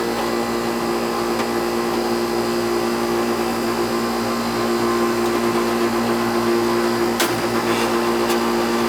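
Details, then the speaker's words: Old Goodman R22 AC condenser with Bristol compressor, running after a no-start service call (capacitor suspected): steady loud hum with fan rush and a constant buzzy tone; noisy compressor but working normally. "Bristol compressor. Hear the compressor in there? That's a Bristol. Noisy. But it works."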